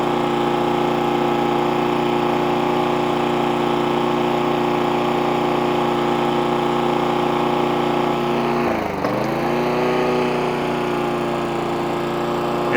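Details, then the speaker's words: Hayter 41 mower after it hit something and would not start, now with spark plug tightened, carburetor cleaned and tank flushed (water drawn from a low tank suspected): steady, even buzz with one brief dip, no longer labouring; normal running. "it's actually sounding better already if you go back to the original part of the video you hear it laboring a little bit that's now running much better"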